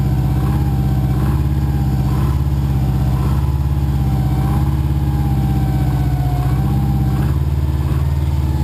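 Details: Subaru boxer build with Wiseco forged pistons, 0.0025–0.003 in piston-to-wall clearance, cold idle at about 2°F after -15°F night: dull hollow knock under low rumble; piston slap, persists when warm, louder in colder temps.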